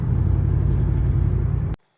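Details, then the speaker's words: 2003 Ford Mustang Mach 1 in fifth gear at full throttle uphill under load: deep lumpy rumble stumbling unevenly; ignition misfire, coil-on-plug possibly loose or not fully connected. "fifth gear going up a hill with a little bit of loan go full throttle watch the shaker misfire misfire those are all misfires"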